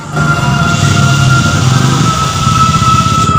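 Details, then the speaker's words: New replacement fuel pump on a Yamaha Mio Soul i 125, bench-tested after the old pump failed, microphone held close: steady, even electric hum with a constant high whine and no grinding or stutter; the pump works. "Ayun. Okay, gumagana."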